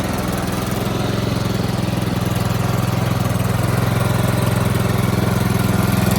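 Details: Toro Z4200 TimeCutter 54" zero-turn, flooded in Hurricane Irma and parked about two years, just revived with fuel and a charged battery: even, steady putter about 3.5 beats a second, no misses or knocks, running smoothly.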